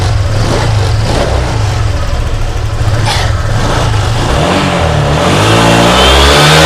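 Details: Honda Vario 125 LED fuel-injected scooter revving: uneven stuttering pulses break up through the midrange. Fuel pump pressure is normal at 40 psi, no fault codes, TPS checks fine, and white exhaust smoke is seen. The misfire comes from an oil-fouled spark plug.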